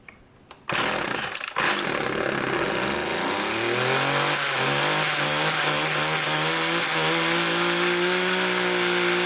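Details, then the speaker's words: Homelite two-stroke weed wacker started after about six pulls on choke: sputtery start rising to steady, slightly uneven drone, heavy smoke; owner suspects running rich, dirty carb or wrong fuel mix. "whoo little smokey um i'm gonna say she's running a little rich or something definitely just [ __ ] plowing the smoke and oil and gas and everything right out the exhaust"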